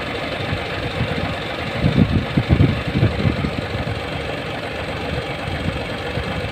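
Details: Hino 700 with E13C diesel, low power, rough idling and hard starting: uneven idle, about two beats a second, with an irregular lumpy stumble; misfire from malfunctioning injector #5.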